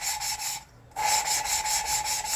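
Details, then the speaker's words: BSA engine rebuild, lapping a cylinder-head valve by hand with compound: rapid rhythmic gritty rasping, several strokes a second with a short pause, as the paste cuts the valve face and seat. "anyway you hear that grinding sound that's that's the actual laughing paste there cutting into the into the valve seat and the valve face itself"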